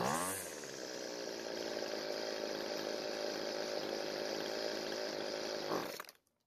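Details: Weedeater two-stroke trimmer before carburetor adjustment. It starts and buzzes unevenly for about five seconds, then sags and cuts out when the throttle is squeezed; starved for fuel, running lean.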